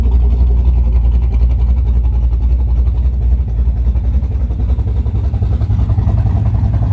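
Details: Cammed Camaro V8 idling on a new Summit Max EFI-500 injection system with IAC valve: heavy, lumpy low rumble with a choppy lope and slight speed wander. Idling as expected, no fault heard; owner unsure what idle speed to set.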